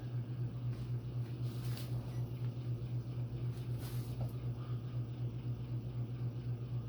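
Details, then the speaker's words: Antique Phil Frey ceiling fan with Hunter 6-blade adapter and 38-inch blades, on high speed, about 211 RPM, running without oil: low hum swelling and fading about four times a second; vibration, source unknown, blades not loose. "and I'm not sure what's vibrating cuz there is vibration isolating material between the rotor and the six blade flywheel and uh none of the blades are loose so I'm not sure what's making that sound"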